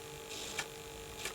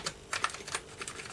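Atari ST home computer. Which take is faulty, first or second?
first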